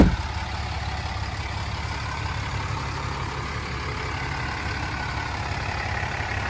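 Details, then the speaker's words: 2007 Dodge Ram 3500 4x4, 6.7 Cummins diesel, 68,000 miles, six-speed automatic: quick catch then low, smooth, even idle with no ticking or misses; very quiet, normal healthy idle. "very quiet idling Cummins or one ton single wheel short bed"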